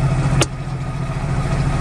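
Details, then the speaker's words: 1998 Geo Metro, sat for years, first start in neutral: low, lumpy idle with uneven throb, engine shaking badly. "all right she fired right up but holy she's shaking"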